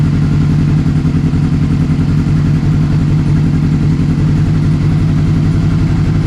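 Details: 2007 Honda CBR600RR fired up in neutral after a refresh with new oil, oil filter and air filter: a steady, even four-cylinder beat with a clean drone and no knocks or misses, running normally.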